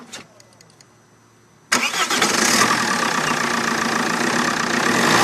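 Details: Vauxhall Vectra 1.9 CDTi after a new starter motor fixed hard/no starting: short crank catches straight away and settles into a steady, even diesel idle; normal start and idle.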